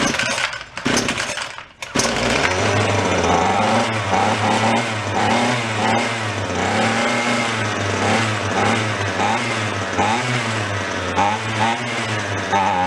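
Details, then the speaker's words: Free roadside two-stroke weed whacker at full choke after priming: sputtering start, then high wavering buzz with uneven surging; running lean, suspected air leak around the carb side, possibly a cracked part. "rival i think it's a little on the lean side i think we're sucking air"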